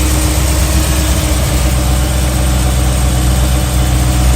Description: mileage - 65,600 miles, oil change 1 month ago / 300miles ago, engine ticking noise developed cold, less noisy at warm but still present.